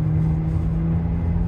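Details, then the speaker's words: Buick with about 197,000 on the odometer, driving at roughly 30 to 50 mph: a steady low drone under road rumble. Said to need a wheel bearing; suspected, not confirmed. "Okay, y'all, this thing needs a wheel bearing for sure. You're gonna hear the humming, but let's get it driving."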